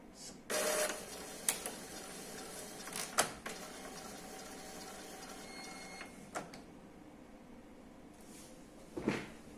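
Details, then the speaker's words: Epson L3150 printer, after repairing the gear that caused paper jam and general error: short motor whirs and light clicks as paper releases and carriage reads, no grinding or error; normal startup. "solta o papel que estava preso fez a leitura né quando ele vem para cá carrinho vem para cá ele faz a leitura para ver se tá tudo certo fez a leitura e voltou e não deu nenhum erro certo"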